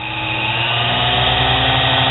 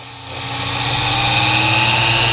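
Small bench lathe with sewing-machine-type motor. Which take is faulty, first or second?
first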